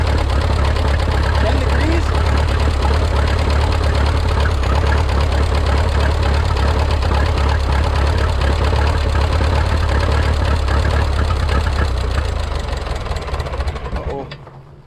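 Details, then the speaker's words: Rebuilt Minneapolis Moline 335 tractor engine: low, lumpy idle at about three beats per second, then it fades and dies, as the tractor ran out of gas. Owner says it runs rough and needs tuning, possibly timing. "Issue number two is it was not really running right. It needs to be tuned a little bit. I either need to play with the timing just a fuzz."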